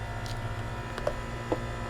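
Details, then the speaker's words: Coolant heater dosing fuel pump in a Sprinter van build, running after shortening its too-long wire: faint sharp ticks about half a second apart over a low hum, pumping normally and priming the fuel line. "Oh, the pump is working. I hear it. I actually feel it. It's pumping. There's a slight click"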